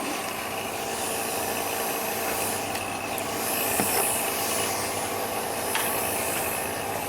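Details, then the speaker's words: Kenworth/Freightliner truck A/C with service hoses hooked up: steady airy hiss with rasping edge, no rhythm; suction leak being located, replacement hose on hand but owner says that's not it, fitting new O-rings first. "You can hear some suction, so let me try to figure where it's coming from and I'll let you guys in."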